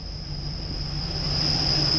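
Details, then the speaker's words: Silverado pickup first running after three nights of no-start, old gas drained and fresh gas added: steady piercing high squeal over the idle, growing louder; good oil pressure, serpentine belt problem suspected. High-pitched squeal while running. "Excuse the terrible squealing, but I'm kind of scared to turn it off. I think we've got a serpentine belt problem, but it's idling."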